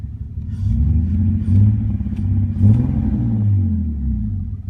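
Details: 2001 BMW 330Ci with catless headers and Dinan cold air intake, fault appearing randomly and cleared by restart for 5-10 minutes: deep rumble surging and sagging, almost stalling at idle, bogging on acceleration; MAF and idle air control valve cleaned, no vacuum leaks found, cause unknown.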